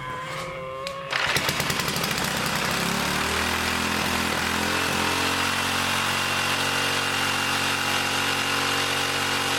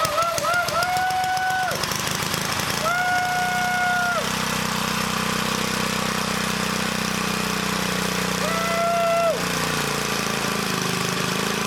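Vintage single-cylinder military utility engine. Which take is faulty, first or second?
first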